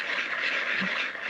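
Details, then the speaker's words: Bosch Gen 2 e-bike motor spun by hand with the chain off: dry, gritty hiss instead of a clean hum; worn motor bearings needing replacement. "so this is this is basically what a noisy motor sounds like yeah"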